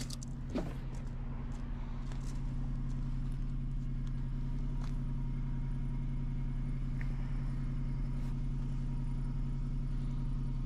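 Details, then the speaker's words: 2015 Ford Transit at idle, running rough after another shop replaced the injectors and PCM: an uneven, stumbling pulse with the rpm bouncing. Engine missing; cylinder 6 was found unplugged, and the problem was later diagnosed as VVT (P0013). "okay so it's missing like crazy I don't know if you could tell in the video but if you watch the RPM gauge it's bouncing a little bit"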